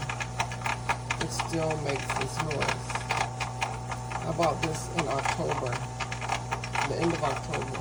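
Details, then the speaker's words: GE Profile Opal 2.0 XL countertop nugget ice maker, bought in October, run on distilled water: steady motor hum under rapid irregular clicking and rattling after vinegar-and-water cleaning, sometimes worse; cause not identified. "But this is the noise it makes, and sometimes it's worse than that."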